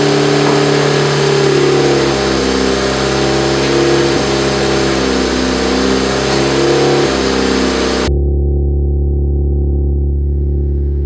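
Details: Built turbo 1.6 Mazda Miata after maintenance, warming up: steady idle with a brief rev near the end, no ticking or misfire; normal warm-up idle.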